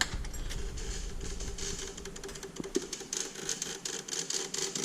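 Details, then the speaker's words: Ford Bronco woken after about a year, with a dash harness disconnected and a battery tested fully charged: repeated sharp relay clicks with no cranking. "must be a relay and I mean this battery isn't charged up I tested it not too long ago and it had full charge"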